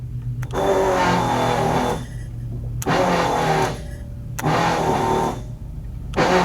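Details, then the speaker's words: 1984 Chevy Corvette with dual 4-barrel carburetors, parked about 20 years, new electric fuel pump: a harsh buzzing whine cycling in roughly 1.5-second bursts, very loud; pressure over 12–15 PSI because the regulator is not working. "Boy, that is a lot. Wow, that is a really loud pump."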